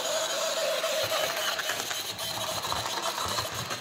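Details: Hornby J36 model locomotive, bought new that year, run after months unused: a thin, high screech over the small motor's whirr after running a while, in both directions. Binding, likely lack of lubrication.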